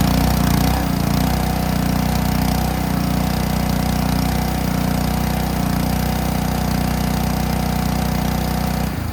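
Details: Ryobi 3300 PSI pressure washer with Honda GCV190 engine, after old gas removed and pump pressure spring backed out: steady even beat with no surging or stalling while spraying; normal running.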